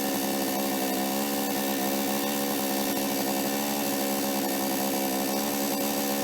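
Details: Toyama TCS46H two-stroke chainsaw after carburetor cleaning and adjustment, which had caught but flooded and died when accelerated: steady high-revving buzz holding even, no stumbling or dying out; running cleanly (L needle 1¼ turns, idle T screw reduced).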